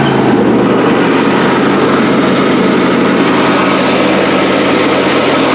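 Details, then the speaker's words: John Deere D130 mower deck engaged: a steady loud hum under the engine with a rough gravelly rattle across the top that never lets up; worn deck spindle and pulley bearings. "So that's pretty noisy. The spindles are, the bearings are going, I would imagine."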